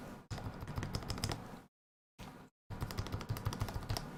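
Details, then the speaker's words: Freshly soldered E6 V2 keyboard build, stabilized keycaps fitted to verify function: crisp, even clacks in quick bursts with no rattle, tick or ping from long keys; stabilizers working fine. "Get our stabilized caps on, just make sure, all of this sounds good. Sounds great there. Sounds good."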